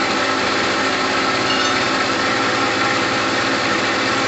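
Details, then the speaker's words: Gilera DNA 125 two-stroke scooter idling after a new fuel line was fitted, with plenty of two-stroke oil in the petrol after sitting a while. Steady, even two-stroke buzz that holds speed without hunting or dropping out. Normal idle. "there's that two-stroke sound we're looking for there is two-stroke oil in the petrol so we're okay at the moment"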